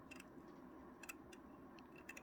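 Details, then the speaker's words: Janome QuiltPro18 longarm quilting machine with thread shredding: faint irregular ticks over a soft hum as thread drawn through the guide snags and jumps on a tiny burr in the thread guide groove. "So when I ran the thread over it, it'd jump. It'd actually, you can hear it."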